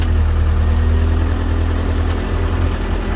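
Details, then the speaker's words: MGF race car with newly rewired dash, oil temperature warning showing: low steady idle, a switch click, then the note sags slightly as the heated screen is switched on and loads the alternator; normal idle dip under electrical load. "the car's working you hear the note in the engine when i turn it on"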